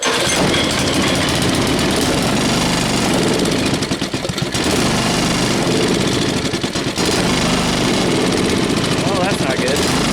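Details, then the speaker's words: Tiller engine with a new carburetor, half throttle: rough uneven chugging, sagging and nearly dying twice; fuel starvation from a faulty carburetor suspected. "I didn't like that all right let's give her another yank it's not wanting to run with the joke"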